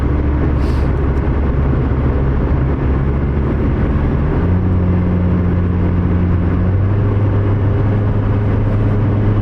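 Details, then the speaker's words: 2014 Chevy Spark after new GM ECM installed and programmed, no codes, while driving: steady low droning tones under road rumble, rising in pitch with speed; transmission whine suspected. "It seems like the transmission's about ready to leave the chat, though. You know when you drive a Nissan and they're making that really loud, squealy, whiny noise as soon as the transmission warms up a little bit?"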